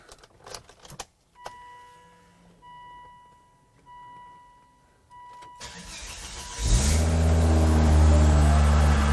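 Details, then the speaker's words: 2005 Volvo V70R bought at salvage auction, fuel gauge read half but tank was empty; low fuel pressure, fuel with some debris added. Quiet pauses and chimes, then engine fires into a low, uneven idle: runs rough after fuel starvation. "well it doesn't run great I needed gas it needed gas it was out of gas the whole time"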